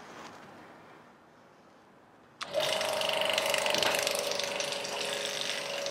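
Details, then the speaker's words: Vacuum pump for testing lapped valve seats on a BMW N54 head, switched on; thump at switch-on then steady hiss with even rapid clicking about three or four a second. Pump running normally. "So I'm going to plug it in, and that is going to get the vacuum pump pumping."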